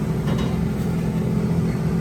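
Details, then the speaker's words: 1985 GMC K15 heater blower motor powered via jumper cables after cleanup and reassembly: steady, even low hum, no ticking or scraping; blowing out of the vents (not defrost), running normally. "It's blowing out of the vents. It's not defrost. Well, it's blowing out of there anyway."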